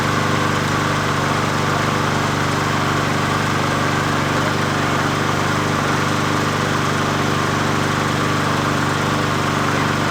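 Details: 20" Murray push mower #20201D after straightening its wobbling crankshaft and cleaning: a steady, even drone at constant speed with no knocking or surging, running smoothly; the owner notes it could be low on gas.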